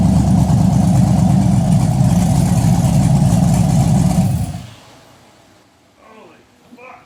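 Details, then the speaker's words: Chevrolet Blazer V8 with an aggressive cam, fresh build with hot headers: deep, loud, steady choppy lope of three to four pulses a second, then shut off; normal big-cam idle, though revs drop slowly off the pedal. "But that noise, you said that it was the cam doing the room, room, room, room. Yeah, that's making it."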